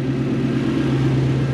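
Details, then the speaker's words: 1UZ-FE Lexus V8 in a Toyota Hiace van on a 2005-era ECU, after a wiring fix only with no tune changes: deep steady idle with no misses. Before the fix it was chuffy from the exhaust. Normal idle. "by sorting the wire you've got idle speed and wiring and it sounds like that whereas before it was chuffy out the back and would hardly read properly"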